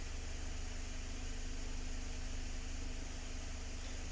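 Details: 2019 Mazda 6 after fuel injector replacement for a P0300 random misfire: quiet, steady idle after about 10 minutes running, no stumbles; only a minor cylinder 1 misfire count, possibly from old plugs or deposits.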